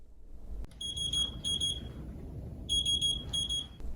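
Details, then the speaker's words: Plum 360 infusion pump no action alarm, sounding when the pump is on, not infusing and untouched for two minutes: two sets of paired high beeps about two seconds apart. "the no action alarm will begin to beep if the pump is turned on but has not been touched for two minutes and it is not infusing"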